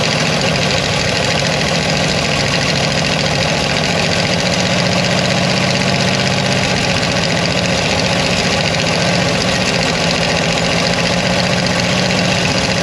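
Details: Mopar 360 LA V8 in a 1975 Dodge motorhome abandoned about 25 years, kept alive by fuel poured from a bottle, throttle butterfly sticking: an uneven, lumpy idle with a wavering beat that sags and recovers, barely staying lit. Rough idle, cause unconfirmed.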